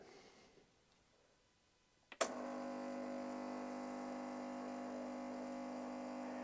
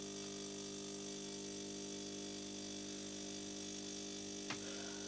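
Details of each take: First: Coffee machine on first start-up, flush cycle with hot water button pressed: a click, then a steady electric pump hum, but no water comes out; pump runs without delivering, maybe worn pump seals. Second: After repair, the fixed espresso machine brews a double espresso from beans in the hopper with a steady, even motor hum and constant thin whine, no knocks or labouring: a normal brewing cycle.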